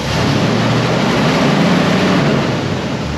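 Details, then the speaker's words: 1960 Pontiac Bonneville, after a new mechanical fuel pump and AFB carburetor setup, idled down to about 700 rpm (spec about 600): deep, even idle rumble with no knocks or misses, with steady fan roar in the background. Normal idle. "supposed to be like 600 rpm you're supposed to set that on [Music] i'm just going to idle it down a little bit all right perfect i gotta ride at 700."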